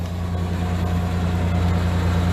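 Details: Project Ford Explorer V6 idling after a restart, still on old gas and due for fresh oil and antifreeze: a steady, even low rumble with no knocks, misses or ticks. The idle is normal.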